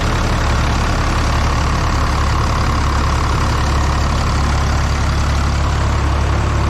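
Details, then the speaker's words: Dodge 6.7 Cummins, 859k miles on original injectors, cold start at about 37–38°F in light wind: heavy low clatter with slightly uneven beat, unusually weird startup; owner suspects injectors, pending kill and contribution tests. "I must say that was a pretty weird startup out of all the years I've owned it I don't think it's ever done that before"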